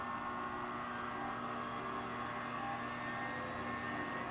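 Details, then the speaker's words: Electric player piano vacuum pump run out in the open at higher speed, fan off: even, steady hum with no rumble or knocking, unlike a 20-year-old pump; normal, smooth running. "you can hear how quiet this pump is it's nice and smooth it doesn't have any of that rumbly sound that that 20-year-old pump has"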